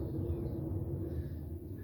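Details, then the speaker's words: Trailer wheel spun by hand, bearing buddy fitted: low, gritty, continuous rumble instead of quiet spin; rough wheel bearing, owner unsure if out of grease, overfilled or worn out. "we got a rough one if you listen to it that's a rough sounding wheel bearing"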